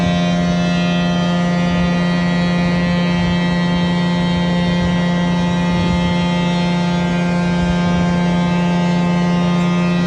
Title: 20220713 LR21001633EA OATKA Blower 3 buzzing sound louder then goes away